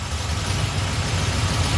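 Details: Small-block Chevy V8 with Edelbrock carburetor after idle mixture screws adjusted, before timing set: steady even low rumble, no hunting or stumble; normal idle, mixture sounds right.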